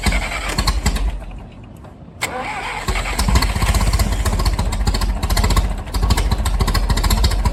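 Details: Massey Ferguson 135, Continental engine, first start after head gasket replacement on a makeshift tank, valves to be rechecked warm: cranks, catches, runs fast and uneven-sounding as throttle comes up, keeps running; engine starting.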